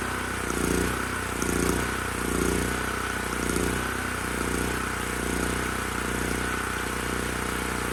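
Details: Titan Industries TG8000Z 8000-watt generator, bought as starting only on starting fluid, now runs after a poorly seated spark plug boot was suspected; steady drone swelling and dipping about once a second, mild governor hunting surge, worse under load despite the carb.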